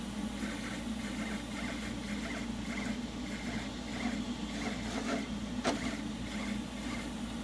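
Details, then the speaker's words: FT5 3D printer during rapid back-and-forth moves such as curves: quiet motor whirring with sharp clicks about twice a second from the axis; linear rails slide smoothly when disassembled, owner suspects belt tensioners, not confirmed. "you get Z out of the way moves why you hear the clicking"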